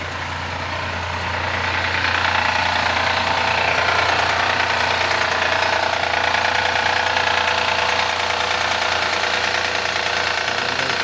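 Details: 2014 Honda Accord V6 engine knocking at cold start: steady tapping about three per second over the idle just after a cold start, cause undetermined.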